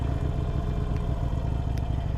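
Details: 2022 Harley-Davidson Sportster Iron 883, about 1600 miles, started with the right-bar starter button: low, lumpy V-twin potato rhythm idling evenly with no ticking or clatter; normal idle.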